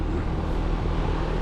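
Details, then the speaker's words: Trane XV heat pump outdoor unit, fan run in control fan test with thermostat off, homeowner complained of whining: steady, even whoosh, no whine or pitch change; normal fan running. "the power power off but they do all right control fan test see what it sounds like that's normal so that's what it should sound like"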